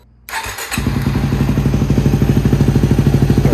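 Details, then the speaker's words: Yamaha WR250R/WR250X single at 26,000 miles, first start after cam chain and tensioner replacement: quick start, then steady even thump about three per second with no rattle or ticking; normal start and idle. "just about 10 hours later she's finally put back together and running smooth"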